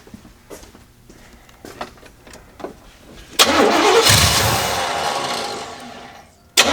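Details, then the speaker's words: Carbureted Oldsmobile Cutlass, Rocket 350 V8 with Quadrajet, after setting idle mixture screws two turns out: cranks, catches, flares to fast slightly uneven idle that sags; still has a vacuum leak, closer to finding it. "it still has a vacuum leak but we're moving closer to the problem"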